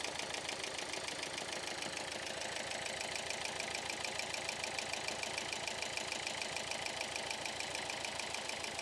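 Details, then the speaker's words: Engine started after the timing belt snapped: uneven, lumpy idle with a ragged beat about three per second, one cylinder clearly down; misfire from suspected valve damage, head to be removed for inspection. "ഏതോ ഒരു സിലിണ്ടറിന് പണി കിട്ടിയിട്ടുണ്ട് പൊതുവെ ഈ ഒരു വണ്ടിയുടെ engine side കുറച്ച് ഡിഫിക്കൽറ്റ് ആണ്"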